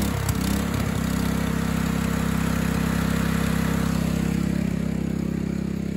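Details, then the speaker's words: Craftsman LT2000 lawn tractor with Kohler Command engine, used carburetor fitted: runs fast at a high, even drone and races instead of settling; governor arm not yet adjusted. "it's got a little bit of an issue of racing you see like right now this is what it should be running at when you put it at po it just races"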